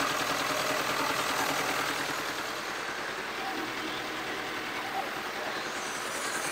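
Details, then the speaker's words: 2019 Mercedes Sprinter diesel, high mileage, idling before teardown; a steady, fairly regular clatter of about three beats a second over the idle. Suspected camshaft or hydraulic lifter problem or bottom-end bearing, not yet confirmed. Top-end engine noise. "hopefully it was um quite noticeable the noise um the way we're going to start on this particular one is by stripping um the top end so we can hear the noise coming from a top end"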